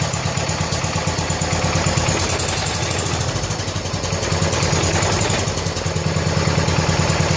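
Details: 1970 John Deere 140 H3 garden tractor single-cylinder after fitting a new head gasket in place of a severely leaking one: steady even putter at idle, no misses, knocks or hunting, quiet, burning off some oil; normal idle.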